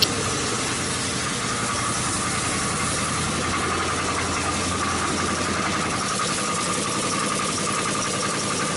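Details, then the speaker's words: 2005 Chrysler 300C 5.7L Hemi V8, first start after rebuild, oil smoking off the headers: busy, clattery idle with a rapid, steady ticking knock that sounds like rod knock; cause unknown. "you hear that that sounds like a fucking rod knock and for what reason is knocking i have no idea"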